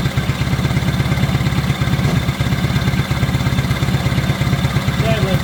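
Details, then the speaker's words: 1970 Honda 600 (N600) sedan twin after the idle was adjusted down from about 4,000 rpm, restarted with the fuel lines moved off the exhaust. It idles steadily and smoothly at about 1,200 rpm or a bit more. "pretty good right there. Probably about 1,200. Maybe a little bit more."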